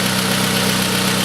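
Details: Pontiac Sunfire 2.2L idling on first start after broken timing chain replacement, with good compression: steady, even idle with a smooth hum and no knocks or rattles. Some smoke, thought to be chemicals burning off; engine healthy.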